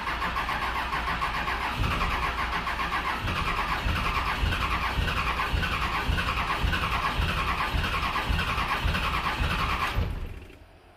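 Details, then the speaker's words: 2001 Dodge 2500 5.9 Cummins 24v after VP44 swap, sat in a field five years, lines bled and fuel added: steady cranking just under two beats a second, never catches; owner suspects it's out of time, smells of burning diesel. "like she's out of time. Ugh. Smells like burning diesel."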